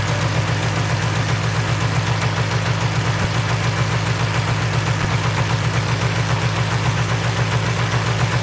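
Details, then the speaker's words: Polaris 400L two-stroke ATV just after a carburetor swap: steady, fast idle held well above normal, too high to shift into gear and nearly racing away. Owner unsure whether the throttle or the idle setting is at fault. "Yeah. So, it's idling pretty high. There's no way I can shift it into gear."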